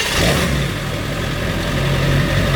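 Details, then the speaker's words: 1999 Ford F-250 with 7.3 Powerstroke diesel, about 280K miles, used as a daily driver and tow rig: steady, even diesel clatter that pulls smoothly as revs rise, with no knocks or misses. A healthy engine that sounds like a sewing machine. "That sounds like a sewing machine to me. A real torquey motherfucking sewing machine."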